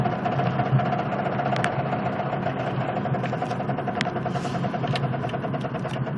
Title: knocking sound driving slow